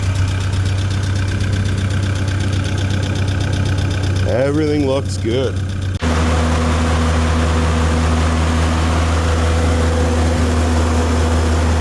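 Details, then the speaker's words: Tennant M20 sweeper, Vortec 1600 engine, first run following a head gasket replacement: a steady, even low hum with a smooth idle and no knocks or misses. It later ran about 40 minutes with the thermostat cycling, coolant level holding and no leaks, so the engine is healthy. "listen to her purr beautiful sweet all right well that was running for about 40 minutes thermostat's opening and closing coolant level staying right where we want it"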